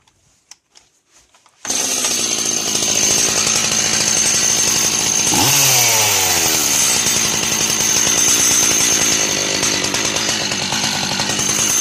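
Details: Two-stroke chainsaw at a fast, even idle: a steady high metallic ringing that comes from the clutch assembly (weights, springs, drum), not from the engine bearings, even though the clutch is new.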